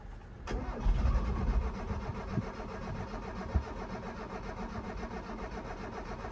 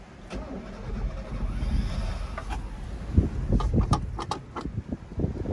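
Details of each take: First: 1983 Mazda B2000, parked since 1993 after a head gasket swap and not run since, gas pedal not yet connected. The starter spins the engine at an even three to four beats a second with no firing: normal cranking, no start. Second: 1983 Mazda B2000, parked since 1993 after a head gasket swap, odometer 074: starter turns the engine over in uneven, labouring bursts but it never catches; cranks normally without starting, cause not yet found.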